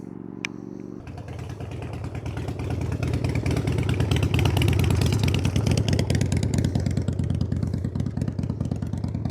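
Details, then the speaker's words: 1993 Harley-Davidson FXDWG Dyna Wide Glide Evo after carb cleaning, fired up before road test: lumpy V-twin idle picks up into crisp revs and settles back evenly, no misses or clatter; sounds real good. "Fire it up and see how it goes. Sounds good. Sounds real good."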